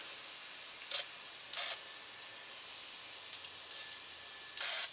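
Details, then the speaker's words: Toyota 22RE fuel injector on the bench, line filled with Seafoam/carb cleaner and pushed by about 5 psi of air: sharp hissing squirts at irregular intervals in a quiet room as the injector pulses and sprays cleanly during cleaning. "oh yeah like milking a cow looks pretty clean"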